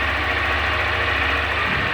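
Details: 2021 Honda Fan 160 single-cylinder motorcycle, first cold start of the day: steady, even idle with a smooth low rumble and no knocks or ticks; owner hears none of the engine noise others report, normal idle.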